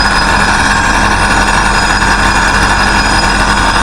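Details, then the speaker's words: Tahoe V8 idling after fitting an exhaust crankcase evacuation pump: loud, even rumble with steady beat and no knocks or misses. Runs fine, no oil coming off the dipstick, slight crankcase suction. "yeah running fine and see there's no there's no oil coming off the dipstick"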